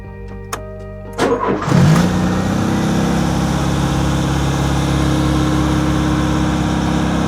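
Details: 40-year-old Ford Fiesta XR2, off the road for 25 years, after a new timing belt, drained old fuel and new spark plugs: brief cranking, then it catches within about two seconds and settles into a steady, even run with no misses or knocks.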